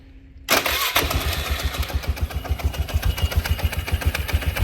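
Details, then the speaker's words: Early-2000s Polaris Sportsman 500 after removing two secondary clutch shims to move the belt inward: engine catches quickly and settles to an even idle, about three to four pulses a second, no slipping or belt noise; clutch no longer spinning at idle. "it should not be spinning this fully at idle. And as you can see, it's not spinning."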